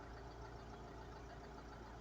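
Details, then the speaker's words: Mercedes Sprinter 311 long-wheelbase van (2007, 57 plate, 247,000 on the clock) after fixing the injector "black death" problem: quiet, even diesel idle with steady low rumble, no knock or hunting, glow plug light now off; normal diesel idle. "that sounds that sounds fine let's have a look double check now Grand she's running nice running like a dream"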